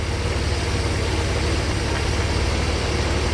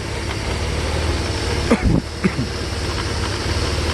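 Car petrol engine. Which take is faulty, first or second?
second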